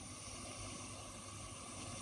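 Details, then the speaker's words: 1970s Grundig TK series reel-to-reel tape recorder, partly restored, not yet greased, cracking idler, in play position; quiet even hiss with no flutter, warble or clatter; normal tape playback hiss. "You hear that? Nice hissing."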